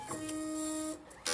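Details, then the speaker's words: 3D-printer tool-changer stepper motor during a preliminary tool pickup; a steady whine, then sharp clicking as it hits its stop because stall detection, set on the less sensitive side, does not trip immediately. "so I don't know if you can hear that clicking sound that's this that's again the stall detection not tripping immediately"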